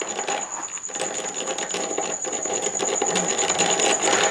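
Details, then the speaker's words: ZOHD Dart XL RC plane stock brushless motor after maiden flight, motor warm and very loose: high scratchy whine with uneven rattling tick; doesn't sound right. "i was having a motor problem and it's on its first flight so i'm just going to investigate it's very loose here so i'm just hoping it's just the adapter here that's come loose um [Music] it doesn't sound right"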